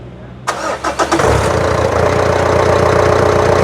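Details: Isuzu diesel (Z71) after replacing faulty injector nozzles and readjusting valves, previously shaking and not running on all cylinders: few quick cranks, clean catch, smooth even idle with no knocks or ticks.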